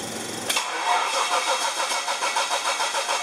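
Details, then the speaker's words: Test run of the LPG-fuelled rear-mounted Medusa engine with the distributor pickup terminals swapped from the original build wiring, feeding a GM 4-pin ignition module: catches, then runs rough and lumpy with an uneven pulse about three times a second. The reversed pickup wiring causes the misfire. "what this test is with the pickup terminals swapped round from the way I had them when I first built the distributor if it runs at all"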